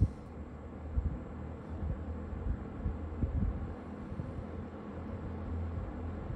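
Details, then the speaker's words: Vintage Kmart Lakewood box fan in mint condition, running on medium after a typical slow, quiet start-up: low, soft, steady hum with faint gentle pulsing, nothing rattling or grinding; normal running. "so let's turn it on it's probably going to do our typical Lakewood very slow quiet low very normal sounding um startup"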